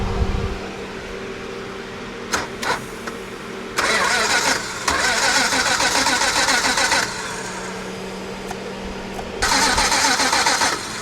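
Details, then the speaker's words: Chrysler VG Valiant Regal hardtop, parked for years, no oil up top yet: two sluggish laboured cranking bursts that turn over slowly and don't catch; slow cranking from weak battery. "It's turning over real slow now. The battery is no good."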